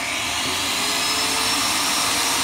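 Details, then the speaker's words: Graco Magnum X5 airless paint sprayer after priming-problem maintenance, hose refitted with clamp: steady, even high-pitched hiss and motor drone with no surging or stumbling; primes and runs normally again. "as you can see the machine is working again and this is the way you fix priming problems"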